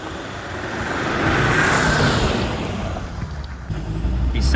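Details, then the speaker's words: Freshly rebuilt diesel engine in a neglected Land Rover Defender 90, first road drive: pulls smoothly under tyre and wind noise, with a faint turbo whistle much more noticeable than before; temperature rising only to normal; sounds healthy. "sounds healthy. The turbo sounds a lot different. You've got a lot more of like a turbo whistle."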